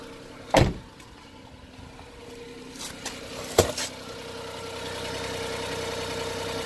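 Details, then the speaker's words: Every van run briefly with the alternator belt removed, which also disconnects the water pump: a couple of sharp clunks at start-up, then a low, quiet, steady idle with no squeal or whir; the noise was in the belt drive, with the water pump suspected. "quieter so it was something to do with that belt"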